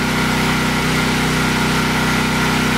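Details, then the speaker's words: Briggs & Stratton 8 kW tri-fuel generator with a 15 hp engine, switched from gasoline to pure propane: a steady drone, running noticeably smoother than on gasoline, though the carburetor jet needs changing for propane. "that's pure propane and it is a whole lot smoother it's very apparent and I'm going to have to uh change the jet on that carburetor for running"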